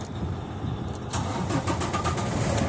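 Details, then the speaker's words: Volvo VNL760 diesel truck with four parallel batteries, after replacing corroded positive terminal connectors: short crank, catches within about a second and settles into a steady rumble; quickest start in a while. "Wow, my truck hasn't started that quick in a while."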